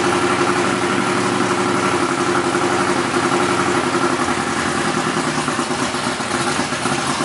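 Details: BMW E46 Formula Drift Pro 2 car with CBM Motorsports engine, first fire, idle being adjusted: loud, uneven, choppy idle like a boat that never settles; rough idle, builders say it needs more base air at idle, planning to drill the throttle body.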